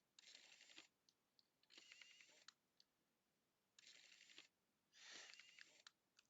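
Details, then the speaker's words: Nikon P900 camera lens zoom after gearbox repair: short motor whirs as the lens extends with sharp clicks on top; gearbox believed good, stray parts suspected stuck in the zoom assembly, unconfirmed. "But I know the gearbox is good and but I don't like that clicking noise. It comes out okay."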